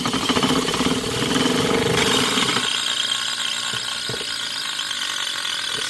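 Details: Opened seized scroll compressor from a home AC unit being turned over: fast, dry ratcheting clatter roughly three times a second; internal cause unconfirmed.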